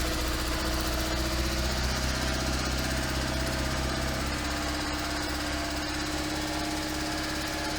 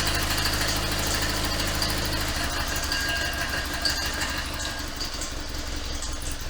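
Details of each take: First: 1972 Invacar Model 70 engine, cowling off, after tightening the loose 27 mm main pulley bolt. It runs steadily with an even, fast chuffing beat and no belt slapping: normal running. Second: 1972 Invacar Model 70 engine at its first run with the full exhaust, cowling off, after an alternator job. A rough rattling slap and chattering whir come from belts flopping around, caused by a loose 27 mm crankshaft pulley bolt.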